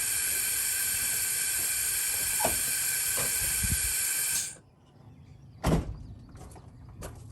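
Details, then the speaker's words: 2007 Freightliner Columbia with Series 60 Detroit, engine off, air over 100 psi, ignition switched on: loud steady hiss for about four seconds then clicks; air blowing straight through a failed fan clutch hub. "do you all hear that air coming out of the air hub right now that means it's bad"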